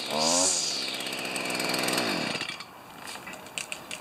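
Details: Stihl FS45 two-stroke string trimmer, bought used and repaired after not running, started with one pull on choke then off choke: revs up high and buzzy, then settles to an even idle with no misfire; runs normally.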